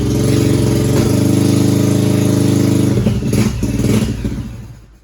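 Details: 2001 Yamaha 1100 motorcycle that starts but won't stay running, carbs cleaned, fresh spark plugs fitted: steady, even multi-cylinder burble for about three seconds, then it sags and fades out.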